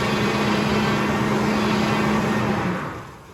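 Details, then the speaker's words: 5.4 L after a major repair, during the fluid check: a steady mid-pitched power steering pump whine for about three seconds that then fades; fluid is low and aerated, bled by turning the wheel lock to lock. "we're going to take another look at our power steering here i'm sure it's low that's what the wine is you don't want to just let it wine and wine and wine"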